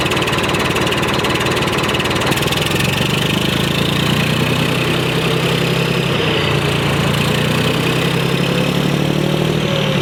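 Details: 1991 Freightliner FLD120 with Series 60 Detroit diesel, unstarted since last July, started with just fresh batteries: big diesel idle with a lumpy, uneven chug and ragged beat that never settles; misfire from a bad injector, run kept short.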